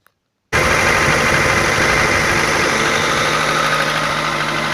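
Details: Audi 80 B3 1.8 engine starting and idling steadily with a faint, rapid tapping knock over it; source unknown.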